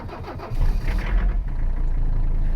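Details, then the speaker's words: 1985 Mercedes 300CD diesel, long abandoned, cold start at about 40°F after six glow-plug cycles and a shot of ether. It cranks briefly, catches and settles into an even, steady idle clatter; clean, normal cold start. "relay click gave her six cycles of the glow plugs and a big old snart of ether it's now about 40-something out let's see if she goes"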